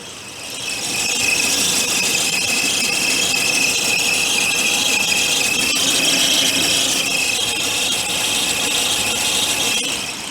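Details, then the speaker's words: Citroën C3 Aircross, about 130,000 km, check-engine light on, misfiring, O2 sensor code, run with alternator belt removed: steady high-pitched squeal holds at idle; noise suspected from old timing belt, engine to be dismantled. "acredito aí que deve ter pegado aí o barulho é de Coreia chiando Coreia velha vamos supor né"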